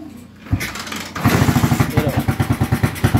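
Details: Honda TMX 155 motorcycle, previously hard starting (50+ kicks), battery drained, strong compression: kick-starts after a couple of tries into even single-cylinder thumps about nine per second, no misses; tuning still pending.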